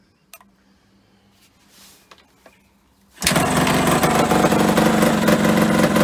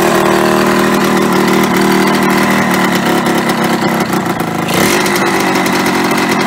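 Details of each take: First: Yamaha RD125LC two-stroke barn find, stood 17 years, kick-started with extra fuel: quiet, a few clicks, then catches at once and settles into steady crisp two-stroke run, no misses; it runs. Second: Yamaha RD125LC two-stroke after standing 17 years: loud, fast, busy idle that never settles low; idle set too high, owner plans to adjust the screw on the side of the carburetor to bring revs down.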